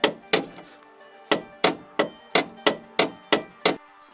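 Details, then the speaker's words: 1999 Ford Galaxy 1.9 turbodiesel: sharp metallic clanks over small bumps from the front anti-roll bar, whose bushing popped out and bent the bracket, letting the bar bang metal on metal. "то есть выскочил вот эта вот штука сама втулка сместилась её загнула вот сюда эту скобу и сам стабилизатор просто вот так болтался и бил по металлу вот в этом проблема"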